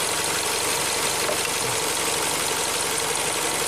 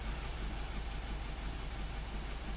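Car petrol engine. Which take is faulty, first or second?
second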